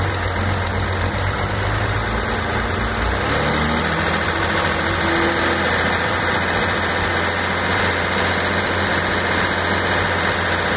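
Steady idle with a faint whirring tone riding over the engine that doesn't change; points to a noisy failing alternator.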